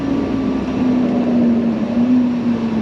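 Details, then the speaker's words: Classic truck with no muffler, window inoperative: engine idle audibly sags when the window switch is pressed, voltage drops and glass doesn't move; mechanic believes the window motor is bad, regulator likely not bound. "I can actually hear the engine change idle speed when I push the switch down and the window doesn't go down"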